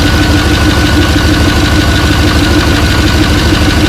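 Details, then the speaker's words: Rebuilt 6.0 LS LQ4 V8 in a 1986 Suburban C20, first start, cold: loud idle with a sharp puffing tick on the firing pulses, about two a second, raw-sounding; exhaust leak, muffler blamed. "Got an exhaust leak, so that's good. Piece of crap muffler, you know."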